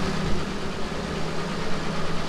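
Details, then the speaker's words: Ford Ranger after a valve cover gasket job, hoses reconnected and coolant refilled: an even, steady low idle with no ticking or misses. The earlier rear tick came from a loose spark plug, now fixed; normal idle. "awesome runs nice and smooth it's nice and quiet"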